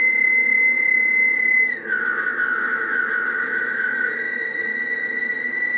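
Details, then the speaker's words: Radio reference oscillator adjustment on 10 m (28.430 MHz) using zero-beat against another radio: steady high whistle sags, wavers, then settles to a steady tone; zero-beat reached against the wrong radio's frequency, leaving it off frequency. "so that's the method that I like to use unfortunately I just zero Beed it to the wrong [ __ ] frequency of the radio hello 1 2 3 4 you can hear the difference so we're uh we're we're off frequency because I tuned it to the other [Music] one"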